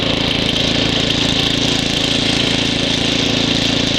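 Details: Ariens ST724 snow blower throwing snow, started first pull cold. Steady, even note with regular firing beat, no surging or misses; normal running under load.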